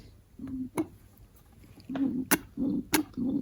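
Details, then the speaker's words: VW Kübelwagen engine leaking oil from the exhaust's left side; the fuel pump is worked by hand in a quiet room, giving a firm squish and sharp click about once per second. It had a lot of pressure on this engine and pumps normally. "this engine has run with it so uh it had a lot of pressure you can hear it pump"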